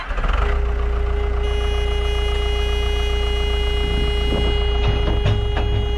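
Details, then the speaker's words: Kobelco SK120LC Mark V excavator, about 12 tons, around 7,000 hours, diesel running off the key again after ignition wiring repair: deep, steady idle with no misses or knocks, under a constant horn or warning-buzzer tone. "So, we are running off the key again, which is a good good news."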